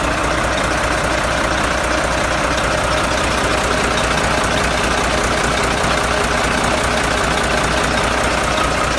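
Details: Volvo FH13 diesel truck engine with heavy steady knock two to three times a second; white smoke and antifreeze signs, later traced to a dropped valve.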